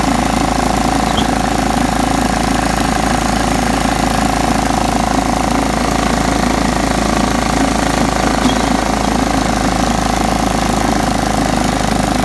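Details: John Deere STX 38 riding mower after a little tweaking and a new battery: it cranked right up and mowed, with a constant steady drone, even low throb and fixed hum, no misses or knocks. Normal running.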